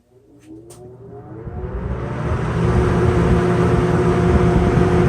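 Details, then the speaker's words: Sears Lasko 453-81310 20" box fan, eBay find, plastic motor, not yet oiled or serviced, works on all three speeds: low motor hum and rushing air build smoothly to a steady even run, no knocks or rattles; runs normally. "but it works good on all three speeds so let's go ahead and fire it up and see what she's got"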